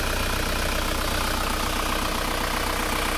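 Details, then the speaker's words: Isuzu Panther diesel idling after the clogged PCV valve in the valve cover was cleared; steady even clatter with no hiss or dipstick pressure puffing, crankcase venting normally though blow-by still present and to be repaired, then engine shuts off. "Nah ini sudah tidak mengeluarkan tekanan udara yang tinggi lagi. Tetapi yang namanya ngobos ya tetap ngobos. Jadi ini akan tetap diperbaiki ngobosnya. Tetapi katup PCV sekarang sudah bisa berfungsi dengan baik."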